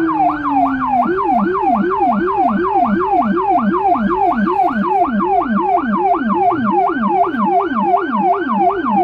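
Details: Federal Signal Rumbler siren on a small emergency car in Budapest, recorded inside the car: a fast yelp sweeping about 2.5 times a second with a deep pulsing 180–360 Hz low tone under the high wail; siren and Rumbler working.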